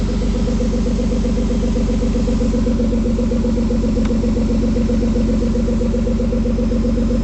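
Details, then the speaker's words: 2003 Ford Escape at idle after fixing the cylinder 4 misfire: steady, even idle around four beats a second with no stumbles or shaking; engine running healthy. "Okay. Feels smooth there. Our engine's not shaking back and forth like a freight train."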